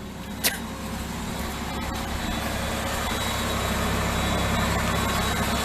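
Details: 1996 Ford Explorer just started after starter solenoid replacement: a single click, then a steady, even engine hum at raised idle, no knocks or misses; normal fast idle.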